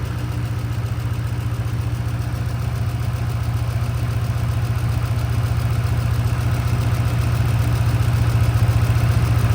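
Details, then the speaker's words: Ford Mustang at idle after a cold start following long sitting: a steady quick tick about four a second over a low rumble, heard from under the car; no exhaust leak found, and the owner suspects a spark plug backing out. "Oh yeah, I hear it. Got a slight tick. Sounds to me quite like an exhaust leak, but I've gone through the entire exhaust and there is no leak."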